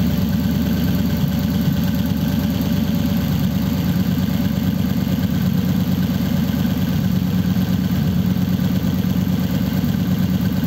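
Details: 1933 5-window coupe, worn "crusty" flathead started after nearly 3 years parked, idling through dual pipes with very short mufflers: even, steady low idle at about three pulses a second with no misses or knocks; normal healthy idle.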